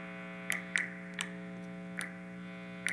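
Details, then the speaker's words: Electric guitar on the neck pickup, noisier than position two, gives a steady buzzy 60-cycle mains hum from room electrical interference, under a few sharp clicks. "for example my neck pickup seems to be a lot noisier then position two"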